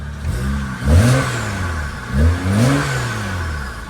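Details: BMW N54 with newly installed downpipes, which had been misfiring (owner suspects an injector issue): two clean revs climb and fall back evenly with no stumble or popping. Normal revving.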